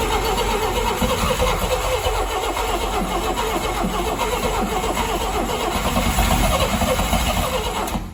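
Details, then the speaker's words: 1959 Rambler, 195 flathead inline-6, automatic, parked for years: long steady cranking about 2.5 beats a second that never catches. "that's weird we got any sparks still now for some reason it looks like we've lost spark now"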